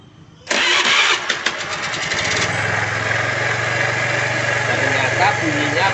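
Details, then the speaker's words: Honda Vario 110 engine just reassembled, after filling oil and radiator coolant, heard from the front; catches at once and settles into a steady, even idle with no knocks; it once sounded like a wreck and is now very smooth. "Bagaimana bunyi mesin motor ini waktu baru hidup seperti kapal pecah sekarang sudah sangat halus"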